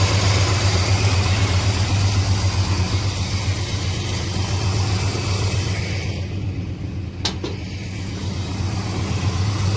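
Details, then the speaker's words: 1987 Chevy Monte Carlo SS with 454 V8 after troubleshooting, warming up: deep, even idle burble, much smoother than before, with a possible slight exhaust leak; normal idle. "Sounds much smoother and happier. Sounds like it has an exhaust leak, but that's okay. Much better."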